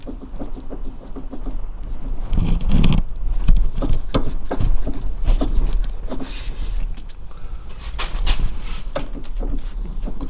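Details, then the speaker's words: Hyundai i10 right-side sway bar end link rocked lightly by hand: light, irregular knocks and clatters; on small bumps and manhole covers it bangs hard into the body. Worn sway bar link clunk. "und das problem hier das sind jetzt ganz leichte schläge die ich mache aber wenn das auto über ganz kleine bodenwelle fährt gullydeckel oder eigentlich ist dann haut das richtig auf die karosserie und die geräusche sind wirklich sehr sehr unangenehm"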